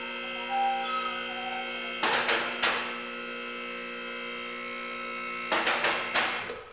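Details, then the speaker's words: Shop lift raising a 1994 Chevy Silverado 1500 2WD 5.7L (4L60E): steady electric pump whine with two clusters of sharp metallic clacks as the safety locks drop in; the lift is raising normally. "Okay, we got our lift up. You heard all the locks hit, so we know it's safer to get under here."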